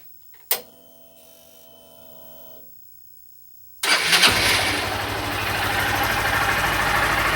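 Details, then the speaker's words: 2021 Honda Fan 160 motorcycle heading for its second service, owner reporting no engine noise so far: a quick crank, a clean catch and a steady, even idle with blips and no knocks or ticks; normal cold start and idle. "Então vamos dar uma acelerada para ver como é que tá barulho Tá certinho ao normal né"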